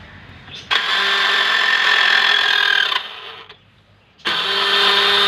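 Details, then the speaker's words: Honda Dio scooter self-start: two bursts of harsh metallic grinding with high whine each time the starter is pressed; starter drive (bendix) not engaging cleanly, to be replaced. "Honda deo நிறைய பேர் வச்சுருப்பீங்க. அதில் shelf போட்டால் எப்படி sound வருது, இந்த சவுண்டுக்கு எதை மாற்றினா அரெஸ்ட் ஆகும் அந்த சவுண்டுன்ட்டு இந்த வீடியோவில் காமிக்க போகிறேன்."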